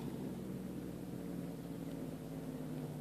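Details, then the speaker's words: Homemade electric motor assembled from laser-cut aluminum parts, rotor spinning: a quiet, even whir with no scraping or catching. It spins smoothly, though cogging torque is affecting the motor. "oh that's so smooth but there is something to watch out for that that rotation"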